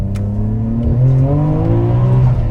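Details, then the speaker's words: Nissan R33 GT-R RB26DETT twin-turbo six, Tomei titanium exhaust: at wide open throttle it pulls hard, then stumbles and misfires as boost arrives, a fault present since purchase. "Every time I would go wide open throttle and come on to boost, it would misfire, which is incredibly annoying."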